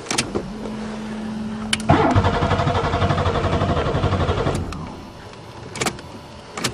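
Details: Buick Regal after winter storage, cranking on another battery: a couple of seconds of even starter cranking that never fires, crank-no-start with cause unconfirmed.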